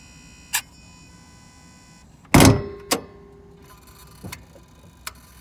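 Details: Mitsubishi Delica D5 diesel engine bay right after the engine is switched off: sharp clicks at scattered intervals plus one heavier thunk as some unknown circuit cycles after shutdown. The source is unidentified.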